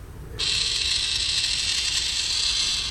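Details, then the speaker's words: Battery watering-system programmer first powered on after fitting batteries, sound the manual says means it is connected; steady high-pitched whirring buzz about two and a half seconds then stops, valve motor cycling normally at power-up. "Okay, so the manual said that when we would hear a sound, that it would mean that it was connected. So I guess that must be the sound."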